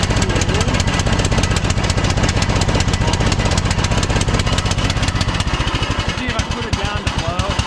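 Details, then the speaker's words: Troy-Bilt Pony lawn tractor single-cylinder engine after carburetor replacement and new spark plug, idle screw adjusted; loud uneven chug stumbling as brought to idle. Rough running, new carburetor believed faulty. "t run all all the way in and it was still running kind of bad and I changed the plug. Yeah, that's the idle adjustment screw. So, did I get a bad carburetor?"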